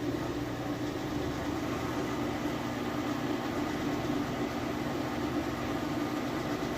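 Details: Whirlpool Cabrio high-efficiency washer at high-speed final spin with a very heavy load of jeans and towels; smooth even whir, no shakes, grinding, rumbling or knocking, no bearing noise. Normal final spin.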